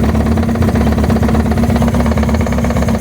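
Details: Yamaha R1 motorcycle cold idle held on choke, owner suspects something remains in the right cylinder: heavy, uneven low thumping under the engine note, about two knocks a second; engine knock.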